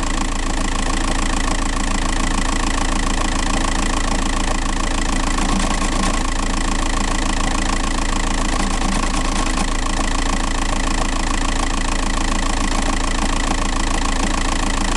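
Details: Diesel TDI 105 at idle: even, regular rattling knock about 3.5 per second; flywheel suspected as source, unconfirmed.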